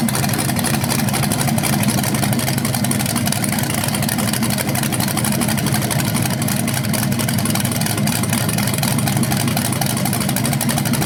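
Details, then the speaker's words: BluePrint 396 crate engine for a 1970 Camaro SS, first run after oil priming and timing check: deep even burble picking up cleanly and settling, no knocks or misses; normal, owner unsure if flywheel or headers sound different on revs. "Well, so there it is, guys. First run of the engine. It sounded good."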